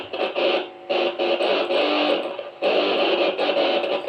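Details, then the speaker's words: BOSS GT-10 guitar effects unit after replacing its RAM chip to cure FM-radio-like noise: clean guitar notes and chords with no hum, hiss or crackle, now working normally. "sudah Oke jadi tidak keluar suara noise ini sudah berfungsi normal ya"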